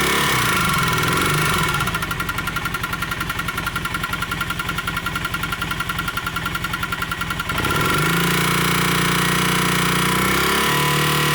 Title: Honda CM400 Engine Knock :o(